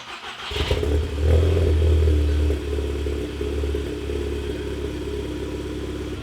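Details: Audi TTS, APR Stage 3, first start after installing a TTE420 turbo, oil primed and coolant not fully filled, still cold. It cranks, catches, revs briefly, then settles into an even, steady low idle with no ticking or rattles: healthy.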